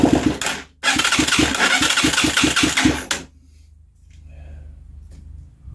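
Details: Huaniao HN125 Chinese 125cc motorcycle on starting fluid: catches briefly with uneven quick pops about four a second then dies; sputtering on starting fluid only, no fuel supply.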